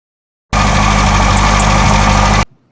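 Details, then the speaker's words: 1959 MGA 1500 after radiator repair: steady idle with faint, quick high chirps, suspected to come from a rotating component; the water pump was later found to need attention. "yeah that chirping sound indicates something else may need to be investigated I'm not an expert but that sound leads me to believe it is coming from a rotating component"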